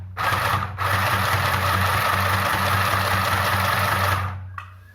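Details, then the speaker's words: Sewing machine stitching after the shuttle was lubricated to fix skipped stitches: quick, even stitching chatter at a steady pace with no catching or clicking; runs freely without pulling the fabric. "i have lubricated uh the shuttle and i'm just going to do the stitches let's see how good uh it may stitch"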